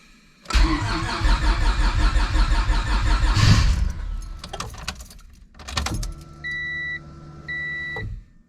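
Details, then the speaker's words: Honda Civic hatch with nitrous stroker V6 swap, first start on new ECU base map: engine catches and runs at a raised idle around 2000 RPM, then cuts out, beeps follow; idle needs tuning. "I'll have to fine-tune it a little bit it's our it's idling at like 2000 RPM so we'll have to set all that stuff up but we are running"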